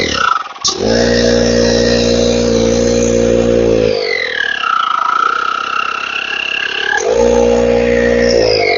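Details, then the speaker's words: 12 V tyre inflator air pump after repair, powered from a bench supply: display on, relay clicks, then a steady, even motor hum with fast pump rhythm runs, stops, and restarts cleanly; working normally. "Properly काम कर रहा है testing हमने इसका कर लिया है"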